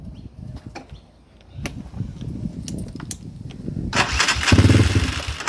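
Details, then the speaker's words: 2020 GMX 250cc X-series motorbike after 12 months: uneven rough clatter during start then a ragged catch as it fires; owner suspects the starter motor is failing, like a tooth missing on the cog; still starts fine. "I think my starter motor's starting to go on it. That it after a while using it for a while, you can hear a sort of, it's not so much as a crunching noise, but it's almost like there's a tooth missing on the cog."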